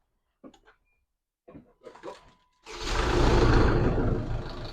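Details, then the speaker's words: A SsangYong Kyron 2.0 diesel starts after a couple of clicks, and a quick, steady rattle of about four per second rides over it. The timing chain is slack because the hydromechanical oil-fed tensioner isn't pumping up; the rattle is quieter because the engine is already warm. "ум цепи это значит То что натяжитель у нас не срабатывает у нас гидромеханический натяжитель он имеет плунжер и в натяжитель подается масло которое выдвигается"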